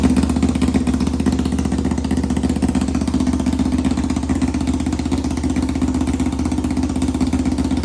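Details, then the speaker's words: 1991 Kawasaki Ninja 500 engine in a 500cc mini bike, restarted with no muffler on the exhaust: very loud raw popping idle with uneven pulses; carb being rejetted for more fuel, possibly lean, unconfirmed. "We also got to finish the exhaust. It really needs a muffler. Really bad. This thing is so loud. It's actually insane."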